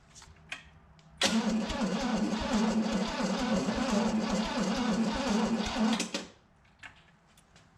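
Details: Barn-find 327 stored since the 1990s, on a home-built engine run stand: five seconds of even cranking at about four beats a second with no firing or pickup, cranks but won't start; ignition module suspected, distributor to be swapped.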